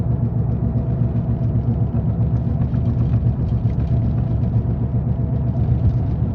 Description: Sound of bad wheel bearing needs to be replace asap